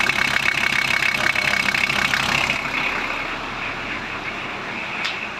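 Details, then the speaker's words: VW Transporter T4 after swapping a pre-95 2.4 straight diesel for a newer single-rib-belt engine: steady even idle with light regular clatter, much quieter, no banging like the old engine; healthy. "as you can hear it's a lot quieter not banging or laughing like the other engine"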